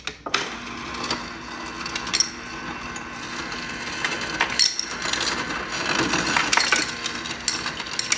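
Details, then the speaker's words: GE refrigerator after replacing a faulty motherboard with burnt resistors; previously would not dispense water or ice: crushed ice clatters out in quick bright rattling bursts with the auger turning evenly; dispensing normally. "And we'll go and try the ice now. Crushed."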